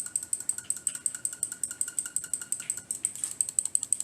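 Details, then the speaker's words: Attack Shark X6 mouse, left button: rapid sharp clicks with a thin creak on every press; cause not yet found. "Самый главный минус, я вот когда чуть-чуть кликал, вы, наверное, услышали, что-то скрипнуло. Это скрипнулок. ЛКМ здесь периодически просто включает какую-то скрипаторию и скрипит просто при каждом нажатии."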